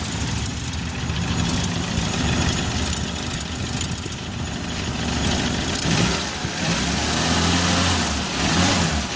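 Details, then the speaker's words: Suzuki Carry 1.0 petrol engine at idle after repair: rough diesel-like knocking, blamed on worn timing cover mounting, is gone; a steady, even low hum with no knock or rattle. "Sudah halus, Lur, mesinnya sudah halus."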